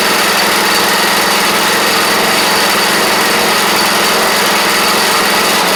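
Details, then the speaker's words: Troy-Bilt Pony rider, first start after fitting a replacement used engine and new head gasket, on fresh gas: a small single buzzing at a steady high-pitched run with an even beat, no stumbling, smoking heavily; engine runs normally. "But she's a runner."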